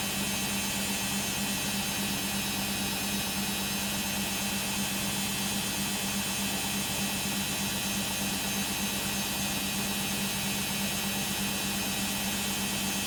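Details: Beko WM5100W 5kg street-found washing machine, plumbed in, with rags, during a long spin of about 10 minutes: a constant loud roar with a steady low hum in the fast spin, no clear knocking; very noisy, cause not pinned down.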